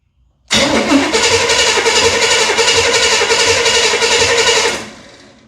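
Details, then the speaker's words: 1978 Chevy Nova with big-block Chevy, sitting about 21 years, first crank on 12 V coil feed: steady fast cranking at about four beats a second with one uneven hiccup; owner suspects a cylinder with a valve left open, maybe a stuck ring. "Number [snorts] two, hear that kind of like it's got a little bit of a a hiccup. That was probably the cylinder that was uh had a valve open while it's been sitting all these years. Um maybe a a stuck ring or something."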